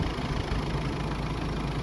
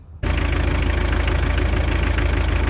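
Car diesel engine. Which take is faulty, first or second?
second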